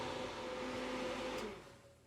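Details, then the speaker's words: 2001 Roadtrek 190 van furnace with a new digital thermostat, flame off after reaching set temperature: blower runs on a couple of minutes to disperse coil heat, then spins down and fades out; normal fan run-on and shut-off. "After the heat and the flame is turned off by the thermostat, the fan will run for a couple minutes just to disperse all the heat that's in the coils"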